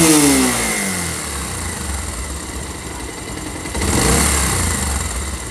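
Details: Pulsar motorcycle engine: revs drop back smoothly to a steady idle, then a clean blip, no rattle or knock; normal idle.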